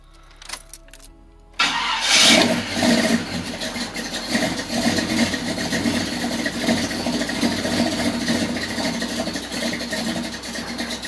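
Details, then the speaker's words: Small-block Chevy V8 with HEI distributor turned fully against its limit while setting timing: catches into a slow, lumpy idle with uneven cam lope; idle too slow, owner plans to move distributor one more tooth. "kind of like that timing where it was at right there i could hear that cam a lot better it was slow but i think i'm gonna pull everything apart one more time i'm gonna move it one more tooth"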